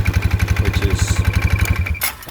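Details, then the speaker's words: 2019 Polaris Sportsman 570 idling, put in gear with the brake held: thin steady high whistle over the thumping single-cylinder idle as the locked drive clutch idler bearing drives the secondary clutch; water intrusion. "and if i put it in gear now suddenly [Music] and it'll start whistling and getting noisy and if i let the break go it'll start moving"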